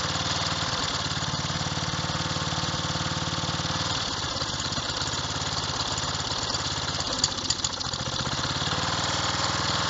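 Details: Revived old Snapper riding mower, 12.5 hp Briggs & Stratton single, after years sitting: steady thumping with a brief stumble midway, then settling back to an even run; running normally.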